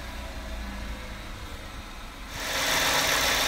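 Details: Peugeot 107 (Aygo/C1) after tightening the auxiliary drive belt that had been squeaking and whining: even idle hum with no belt squeal left, louder hiss near the end; belt quiet and properly tensioned.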